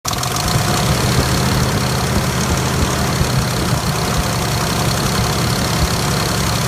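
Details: 2005 Dodge Durango with a steady idle and a dull knock running through the low rumble. It sets codes P0343 and P0172. The cam sensor, O2 sensor, transmission and exhaust manifold were just replaced. The cause of the idle knock is not yet found.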